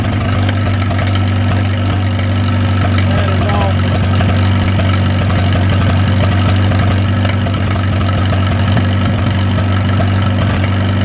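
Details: 1937 Willys four-cylinder flathead (assumed) on a generator, sat covered in the woods 15–25 years, running on its own after fouled plugs were pulled and checked. It holds a steady, deep, even putter at slow idle with no misses or knocks, and fires up quickly.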